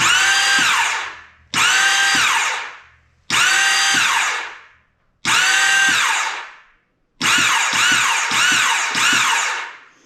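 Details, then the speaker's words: 2001 Yamaha Kodiak 400 ATV with a brand new starter: five bursts of high free-spinning starter whine winding down with no cranking, as the starter turns but the newly fitted one-way starter clutch bearing doesn't engage. "starters turn in but now the one way is not doing anything oh my gosh this thing is a nightmare"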